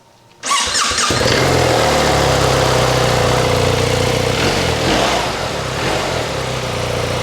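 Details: Motorcycle start after its low battery (12.1 V, dash warning "vehicle voltage critical") was topped up to about 13 V by reverse charging from a powerbank through a Chigee TR100, recorded near the exhaust: brief crank, catches at once, steady even idle; starts fine.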